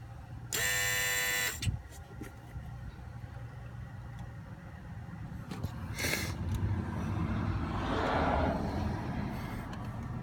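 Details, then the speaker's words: 2003 Volvo S60 2.5T AWD, engine running, heard in engine bay: about a second of harsh steady buzz, described as boiling-like, then fading; vibration felt in a hose the owner suspects is a coolant line, cause unconfirmed. "I can feel it in this hose right here. That's what I was saying. I felt this hose vibrate when it made that sound."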